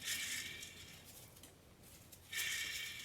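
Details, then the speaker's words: Old front wheel bearing hub assembly removed from 2010 Chevy Silverado 5.3 litre, hand-spun: dry gritty rasp fading as hub slows, really loud versus quiet new hub; worn wheel bearing. "let me try the old one i hope the camera is picking that up this one is really loud"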